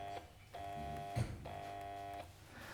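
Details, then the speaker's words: Electric log splitter at repair cafe, motor turns freely by hand: when switched on, twice a steady buzzing hum under a second with no run-up, motor energised but stalled; failed run capacitor suspected, not confirmed. "What's happening is the motor isn't turning. So, I'll plug it in. I'll show you what it's doing. So the motor's free as you can see there. But when we turn it on, we can see it just goes."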